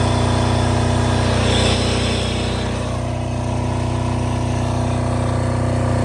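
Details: Multi-power diesel generator (generator only, not a welder, about 5,500 watts), started about 5 or 6 times: deep, steady drone with an even firing beat holding constant speed; normal running.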